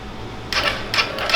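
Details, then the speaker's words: Coleman CT200U mini bike with swapped 110cc ATV engine, electric start; three short clattering clicks without cranking, starter can't turn it over because oil got into the cylinder after engine was flipped, oil on plug and from exhaust, hydrolocked. "that's all it'll do. So then I seen oil come out the exhaust. We must have had it flipped up. Look at all that oil on the plug."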